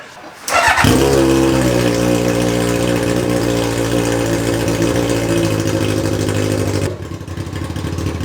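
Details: Reliant with a swapped Kawasaki motorbike engine, with its gravity-fed fuel pump: engine catches right away and settles into a steady, even idle with no stumbling or fuel starvation until shut off.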